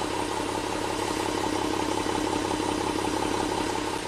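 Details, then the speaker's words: 2015 Jeep Grand Cherokee, 3.6 L Pentastar V6, 132k miles, P0302 despite new coils, plugs and injectors: warm idle, mostly even, with a faint soft hut every few beats; cylinder 2 partial compression loss misfire, still combusting. "So, here's what a partial compression loss misfire sounds like. Just a little hut."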